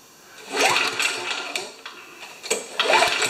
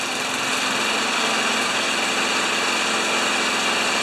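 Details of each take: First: Old Tecumseh mower engine after priming, slightly overfilled oil: thin, rattly buzz surging and sagging unevenly, running weak and rough; a leak is seen at the intake manifold by the choke, cause not confirmed. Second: Old Tecumseh engine on a probably 1987 Craftsman Eager 1 mower, stored in a shed 20 years, after homemade repair: steady even buzz at moderate speed, no misses or surging; running normally.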